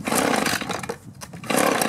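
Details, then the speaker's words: Echo two-stroke blower with aftermarket carburetor, new plug, starts then dies: raspy revs sag and nearly die then recover; fuel starvation, carburetor suspected clogged or gummed. "try adjusting the carburetor just a little bit got the low side on the inside and the high side on the outside I'm going to turn the low side out just a quarter turn [Applause] there we go again even though it hasn't been long maybe the carburetor got clogged up or gummed up"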